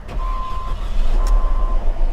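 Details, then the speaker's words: Salvage-auction car started after the key was left in the ignition: runs horribly, idle lumpy and uneven with irregular surging under a warning chime and visible engine shake; a misfire. "So there's that cute little motor making all that noise. It seems like it's running a little better, but it's definitely got a misfire."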